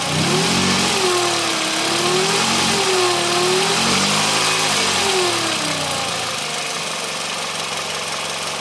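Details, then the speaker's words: Car (TC) revved at idle: a high whine rising and falling with each throttle blip; owner suspects the alternator. "hopefully the camera was able to pick up the noise the whiny noise that I think it's coming from the alternator"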